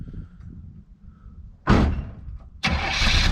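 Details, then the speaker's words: Old car, revived after years sitting: short burst of cranking, then it catches within a second and settles into a strong, even idle; healthy start. "Listen to that, crank right on up. Listen to that old car crank right on up."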